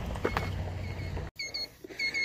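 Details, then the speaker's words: Greenworks 80V cordless chainsaw, low on charge after five cuts through oak slabs, gives two pairs of high warning beeps; over-temperature or low battery, let it cool. "hear that beeping? That's over temp or low battery. So let it cool off."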